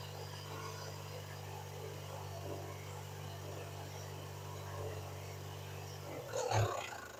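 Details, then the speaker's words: 1993 Dodge Stealth RT (Mitsubishi 3000GT) V6 bought at auction, runs rough: steady low idle hum with light rapid tick; inspection shows old-style hydraulic lifters, owner blames them for the noise and plans replacement. "Oh, this has those old lifters in it. And that's lifter. That's why it's so noisy. This has the old lifters. I need to get new lifters."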